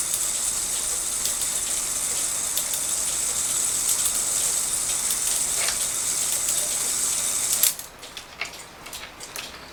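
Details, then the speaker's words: Circa-1900 Rail Road Quail cuckoo clock after the fix: a bent part, grabbed by a rail when it sat down too far, was found and dealt with, and the clock was cleaned and oiled. Testing strikes 3 through 12, steady whirring with regular clicks stops cleanly; normal operation. "So I went ahead and brought it around, trying each one of the cuckoos, as in 3, 4, 5, 6, 7 on to 12, just to see if any of these were maybe sticking up, and it seems to be going by it fine."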